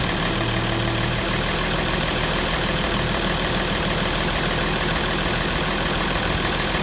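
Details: International 1066 diesel tractor idling right after an oil change; even idle with steady, regular clatter, no odd knocks or misses, idles normally.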